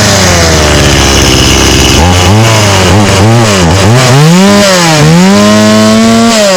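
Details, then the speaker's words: Stihl 018C 32cc two-stroke chainsaw, started easily but running on old gas: uneven revs with the pitch sagging and recovering, so the engine bogs. The old fuel is suspected as the cause. "awesome now it is was a little boggy cuz does have old gas in it but still that started very well"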